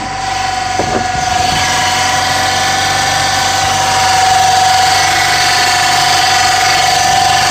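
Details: 2002–2005 EP3 Honda Civic Si hatchback at idle: constant, steady high whine from a bad water pump pulley on the belt drive.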